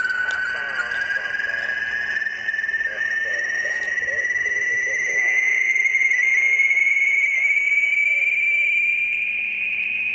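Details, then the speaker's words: Ham radio receiver on the 80-meter amateur band near 3.846 MHz: a steady whistling tone glides slowly and evenly in pitch over the hiss, recurring roughly every ten minutes all morning; RF interference sweep, source unknown. "that is the signal that is sweeping across the amateur radio 80 meter band it's been doing it all morning this morning"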